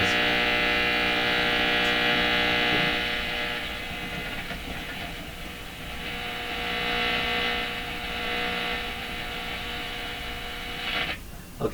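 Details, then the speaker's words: 1940s Philips PH202 tube console radio, AM: loud buzzing hum with harsh crackle, then fading, caused by the laundry room light switching on. Hum and noise interference. "so what what's happened here is I I've triggered the light in my our laundry room to come on it's creating all this noise"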